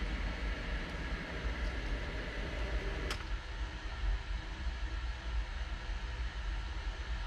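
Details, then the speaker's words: New 1/3 hp sump pump with a Quiet Valve check valve, replacing a worn 20-year-old pump with bad bearings: steady low hum with one soft click midway, no banging; quiet normal operation after replacement. "i'll i'll now uh throw on some video of the pump running so you can see how quiet it is and then also a video of that quiet valve and you can see it operate everything is now so smooth and quiet it's it's amazing"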